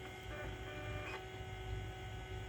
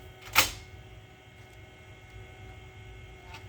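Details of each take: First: Macintosh SE running System 6.0.8 after clock battery replacement, SCSI hard drive possibly reconnected wrong: steady motor hum with faint high whine and brief seek rattle; drive spins up and seeks but isn't working. Cause suspected, not confirmed. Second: Macintosh SE, 30+ years old, powered up after replacing its original Varta clock battery: sharp click at disk insertion, then soft irregular stepping and whirring as the floppy reads system disks. Normal, healthy floppy access.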